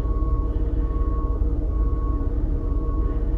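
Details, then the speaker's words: 2009 Toyota RAV4 3.5 V6 2GR-FE after replacing ignition coil #2 for P0352 misfire: even low idle hum with faint steady tone, no stumble or shake; rough idle removed, codes cleared. "guys... the rough idle is now removed"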